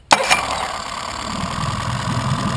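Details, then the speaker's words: Outboard motor after clearing a clogged carburetor by blowing about 50 psi of compressed air through the fuel line from the fuel filter connection; catches instantly on the key, brief flare, then a steady, even idle: normal start and idle. "starts right up don't it after you stop jumping up and down and cheering and saying ye"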